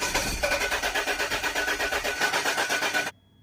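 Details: Land Rover after torque converter/crank seal replacement and fluid refill, won't start: steady cranking about five compressions a second for three seconds, never catches.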